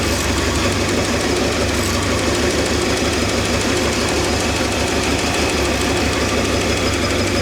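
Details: Old Ford 260 V8 at steady idle with a light, regular ticking knock; owner says it is not oiling well at the lifters and plans to replace them; cause unconfirmed.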